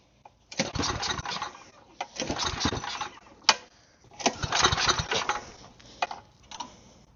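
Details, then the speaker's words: Side-shaft small go-kart engine, on choke: short cranking bursts at about four beats a second that never catch; no fuel reaching the bowl, owner suspects a stuck float or needle. "If fuel leaks out of it, then it's getting fuel. No fuel. I'm gonna pinch the fuel line off because fuel will start pouring out. No fuel means the needle is just plugging somehow."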